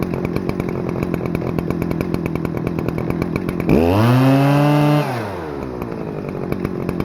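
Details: Stihl FS-250R 40cc two-stroke trimmer after a carb rebuild kit replaced the diaphragm hardened by old fuel, on 50:1 ethanol-free mix, screws just set: fast even idle snapping up to a clean high scream and dropping back smoothly; revs high, runs great.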